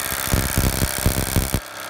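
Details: Impulse-coupled magneto on a test stand at 1000 RPM: fast, even buzzing snaps with no gaps while spinning up, then cuts off; constant spark firing steadily with no misses.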